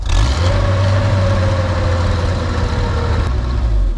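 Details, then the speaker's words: Boom lift engine with rebuilt carburetor, mixture screw now two and a half turns out: low, even idle holding steady with no surging or stumbling, running pretty well after the adjustment, though the problem has been intermittent before. "this definitely made a difference so I am now two and a half turns out it seems to be running pretty well"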